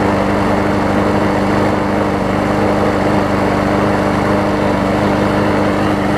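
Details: John Deere JS63C walk-behind mower after new flywheel key, oil change and carburetor bowl cleaned of sediment and old gas: steady, even engine hum at constant speed with no misses or surging; running normally again.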